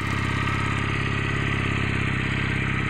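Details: 2021 Junak M11 Cafe Euro 5 motorcycle just started: steady, even twin-cylinder idle with a regular low pulse and no knocks or misses; idling cleanly and healthy.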